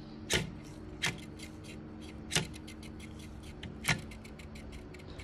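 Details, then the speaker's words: PNY RTX 3060 GPU fan off its axle with dried-out grease: low hum with irregular sharp clicks and ticking from a dry, wobbling bearing. Fixed by oiling the motor and pin with sewing oil. "and if I turn it on it's even worse now not only is it a bit out of the axle but also the grease under the fan basically has the right UPS"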